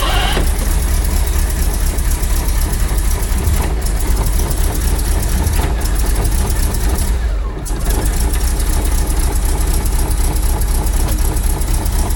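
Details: Rolls-Royce B-series 5.6 L straight-eight in a Saladin armoured scout car, cold start in a -6 °C workshop after resetting the timing to cure a misfire: deep, steady, even idle rumble with no misfire stumble.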